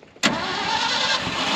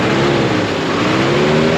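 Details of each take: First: 1974 Ford F600 dump truck, sat two years, started on choke; engine bursts in abruptly and holds a rough, uneven roar without settling to clean idle: hard starting. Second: 1974 Ford F600 gasoline dump truck after sitting two years on two-year-old gas, smokes a little; engine climbs and falls smoothly through revs with steady even drone, no knocks, misfires or rattles: normal engine revving.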